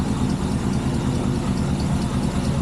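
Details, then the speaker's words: El Camino at idle after a new alternator wire and setting of timing, idle and air mixture screws; charging reads about 14.5 V. Steady, lumpy, V8-sounding idle with a faint puffing tick on the exhaust pulses from a couple of exhaust leaks. "She's got a couple exhaust leaks. I'm sure you guys can hear those. But she's a certified ripper now."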